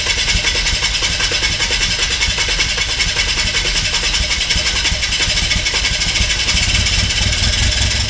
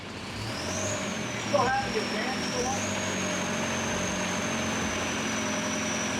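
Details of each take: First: VW TDI diesel in 1950 Willys Wagon on Jeep Wrangler chassis, first start after swap: uneven, lumpy idle with irregular clatter, no steady rhythm; rough running, injection timing possibly off and later re-timed. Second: VW TDI diesel-swapped Willys Wagon on Jeep Wrangler frame, running after adjusting injection pump timing: steady even diesel idle with faint high whine, no misses or knocks, less smoke; running normally.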